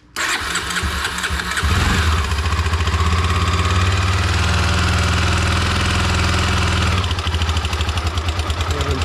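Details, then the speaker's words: 2006 Honda CBF 250 single with about 44,000-46,000 km: starts and idles with a light fast metallic rattle over the exhaust beat; the timing chain/valvetrain is confirmed as needing work. "wiem, czy słychać ten stukot. Na pewno rozrząd do roboty na 1000%, bo to już jest sprawdzone."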